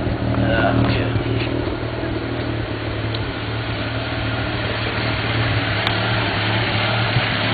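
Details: 1991 Mazda RX-7 S5 NA street-port rotary with headers and a possible Racing Beat cat-back. Uneven, lumpy idle with occasional sharp exhaust pops and crackles (afterburn). Owner doubts a vacuum leak; cause unknown.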